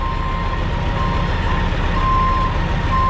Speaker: If he ever backs up. He will back up. Oh, there we go. We do have beepers on every truck.